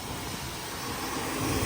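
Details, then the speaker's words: 1989 Chevy K1500 V8 idling after a new crate-engine swap, before its first test drive: steady, even, smooth low rumble with no knocks or ticks, running great. Normal idle. "not disappointed with that at all. All put back together. It's running great right now, so hopefully our first test drive goes fairly well."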